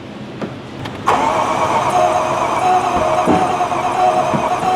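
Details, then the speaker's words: Severely overheated 2015 Range Rover 3.0 L supercharged with no coolant, battery dead so cranked on a jumper: quick, light, uneven cranking that spins too freely with no firing; some compression but low, from a blown head gasket. "now listen I want listen to that first thing that sounds like it's it's it's got a little bit of compression it's just not like you know it's got"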